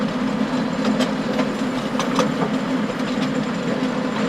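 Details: Stones hitting the power harrow tines behind a John Deere 6920 tractor in very wet, stony ground, sharp irregular bangs and clacks over a constant rattling drone; stones previously broke a tine.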